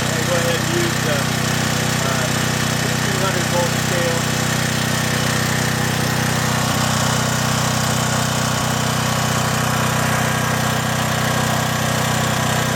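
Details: John Deere/Briggs and Stratton single-cylinder generator, repaired (gummed carburetor cleaned, rotted fuel lines replaced), unloaded during voltage checks reading about 114 V per leg: steady, even drone with no surging or hunting; runs smoothly.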